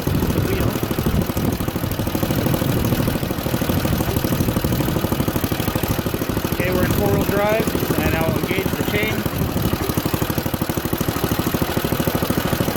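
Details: Junkyard Ditch Witch C99 trencher, old, year unknown, small single-cylinder engine thumping at a steady fast beat with a few brief chirps as the drive and belt are engaged; pulls evenly under load and sounds healthy.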